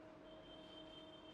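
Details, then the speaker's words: Inkjet printer (ink tank type), power LED blinking: quiet steady mechanical whirr with faint constant tone as carriage runs its initialization movement; normal start-up cycle. "कि अभी हमारे printer में इनिला movement भी हो रहा है आप अगर इसकी आवाज को गौर से सुन रहे होंगे तो इला मूमेंट का आवाज भी आ रहा"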